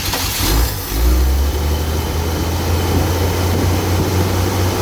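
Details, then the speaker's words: 1967 Chevy 250 inline-six in a van, test start mid tune-up after new Ford spark plugs: cranks briefly, catches quickly and settles into a smooth, even idle with no miss or knock. "Okay, looks like it's running fine. With those Ford plugs, maybe it'll run like a Ford."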